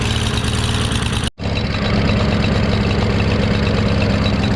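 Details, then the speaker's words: Craftsman push mower, Briggs & Stratton 550EX engine, after removing homemade choke flap and cleaning the carburetor again: drops out briefly, then a steady low, loping run that won't rev up; float pin possibly poorly fixed, new carburetor considered. "So I yanked the my homemade choke flap out. Still doesn't rev very high though."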